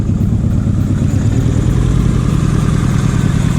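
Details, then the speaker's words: Nissan Pulsar GTiR, first start in seven years, new belts fitted: smooth, even low idle with a steady beat and no tapping or ticking from the top end; normal idle. "it's really cool i'm just so glad that there's no tap there's nothing it just sounds like a nice"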